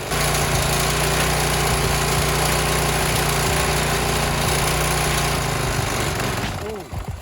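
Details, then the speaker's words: Marketplace lawnmower small engine, warmed up in light rain, just after water was fed into the intake; steady drone with uneven lumpy beat, then cuts out; running rough, owner suspects it inhaled some water. "It didn't like that. Maybe it inhaled some of the water. It doesn't sound as good, I'm gonna be honest."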